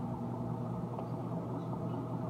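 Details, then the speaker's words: Whirlpool Duet front-loading washer on the final spin with 11 minutes left: steady low rumble and even hum picking up speed, drain pump audible during extraction, no thumping; balanced, normal spin. "yeah you can help picking up speed just a little bit you can hear the uh the pump going during all these two extractions much water wrap out of it"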